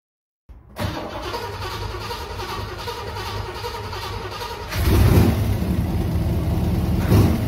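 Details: 1969 Chevy Corvette L-46 4-speed, original motor, 66,000 miles, first start after years of sitting with cleaned fuel system, new fuel filters, fresh fuel and new battery; cranks, catches within a second, even rumble, then revs cleanly.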